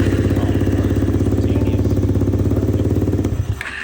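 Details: Kawasaki KFX400 after no-start diagnosis: 45 PSI compression, zero valve clearance letting intake valves leak; after valve adjustment, even fast single-cylinder thumping for about three seconds, then fades and stops; normal starting.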